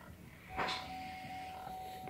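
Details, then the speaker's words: 2005 Chevy Suburban transfer case with new encoder/shift motor, key on, shifting 2 High to 4 High: brief electric whir then soft settle, no grinding or clicking; shift motor working normally after repair. "Now I'm gonna push 4 high. Now it's actually switching and I can hear the motor moving."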